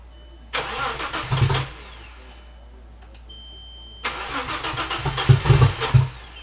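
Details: Audi with rebuilt backup engine, first start after swap: starter cranks, engine catches twice, revving about a second each before dropping off; runs only briefly.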